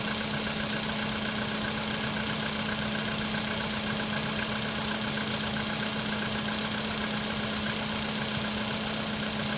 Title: Стук на холодную , cfna ...